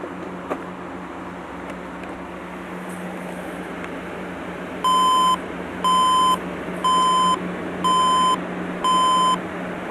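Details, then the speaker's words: HP dc7600 SFF desktop restarted with all RAM removed: five evenly spaced mid-pitched beeps, about one a second, over a faint hum, the BIOS beep code for no memory installed. "let's plug it in again that I've removed all the RAM"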